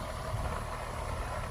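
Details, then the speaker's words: AC condenser unit in Katy, a system reported never to have cooled properly in 5 years, thermostat reading 70°, runs with a low steady hum and even fan rush, no rattles, clicks or surging; normal running. "But sound like this in here running good though, folks."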